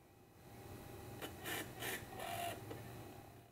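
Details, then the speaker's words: iMac G5 that won't boot, holding C to boot from disc: short whirring bursts as the optical drive spins and seeks three or four times, then goes quiet; disc not detected or read. "okay so it sounds like it's trying to do something but then just kind of gives up"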